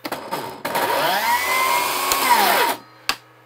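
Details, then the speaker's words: Milwaukee M18 saw on a dual plug-in inverter build with an inline M18 battery backfeeding: motor spins up to a steady even whine without cutting out, then winds down cleanly; normal run, suggesting earlier cut-outs were the saw's own protection. "interesting so now it is not cutting out so there's potential that the saw is the thing that's actually failing on this right because I don't hear these cut out anymore and I'm able to just flip the switch and keep going"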